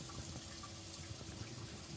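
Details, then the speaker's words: Scamper pop-up camper water pump being tested for leaks: soft, steady rush of water through the lines with a faint pump hum and no air gulps; pump flowing normally. "oh there we go got a nice flow so you can put it closer you pick it up you can hear the water moving in there"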